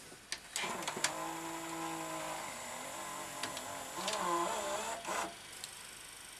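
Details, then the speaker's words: Toshiba V-77B VHS video recorder, probably unused about 25 years, before belt replacement: thin whirring with sliding tones and faint squeal; screechy, stiff mechanism, suspected gummed up. "i think that sounds to me like the mechanism's just all gummed up let's try it again see if it frees itself up yes there we go bit screechy but it's running all right"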